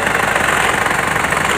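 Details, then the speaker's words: Isuzu Crosswind Sportivo diesel at idle after engine and cooling refresh and clutch fan repair: fast, regular rattling pulses keeping time with the engine, from the alarm unit loosely mounted underneath buzzing against the body. "Meron kasi siyang, yan, nasa ilalim yung alarm niya. Maluwag yung alarm pagkakabit."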